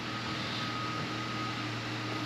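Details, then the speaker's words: 2014 Honda CR-V during remote starter tach programming, run about 15 seconds until idle levels off: steady, even idle hum with a faint fan whine, no misses or knocks; normal idle. "You start it up, let it run for about 15 seconds. Or until the idle levels itself off, nice and low where it's supposed"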